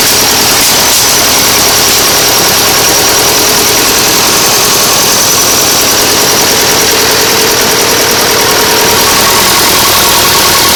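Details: Nuffield 805 tractor diesel at idle after a full engine rebuild, first start after standing 10 years in a field. A steady, even clatter with no irregular knocks or misses: a normal idle.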